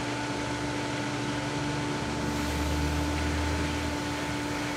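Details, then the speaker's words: Pool pump running with the diatomaceous earth filter gauge near 21.5–22: steady hum with a constant airy hiss as the manual air relief valve is opened to bleed trapped air until water sprays out. "I'm going to open up the air relief valve here."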